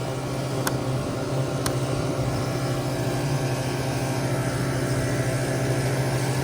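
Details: Newly started walk-in flower cooler condensing unit on R448A, still slightly low on charge, compressor running during pump-down to set the low-side pressure control; an even, steady low hum with no knocks or surging, running smoothly.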